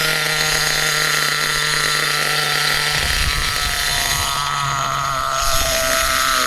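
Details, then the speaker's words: HPI Trophy Truggy RC nitro 3.5 engine on 25% nitro during low-end needle tuning: high buzzing note sags and stumbles around three seconds, then picks up; still rich, bogging on too much fuel. "Still a little bit rich. You can tell by that hesitation. That See, that wasn't lean hesitation. That was a bit of a bog, you know, too much fuel."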